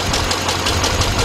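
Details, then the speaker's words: 2006 GMC Envoy XL Denali 5.3 V8 at idle, after replacing the torque converter bolts with thread lock: the knock is gone, but the idle is uneven and lumpy with an irregular thump in the exhaust. Misfire persists; coils and wires are suspected. "all right guys the door is there you have it car still got a misfire but that noise went away"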